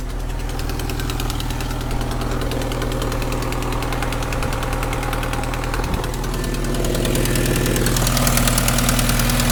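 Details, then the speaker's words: 1995 Vauxhall Cavalier MK3 X20XEV at idle after auxiliary belt and tensioner replacement: light, even tick about four a second over the low hum, source unclear, owner thinks bottom end or sump area; may try oil flush; cause unconfirmed. "and very good so I do struggle to hear where it's coming from sounds a bit bottom ends"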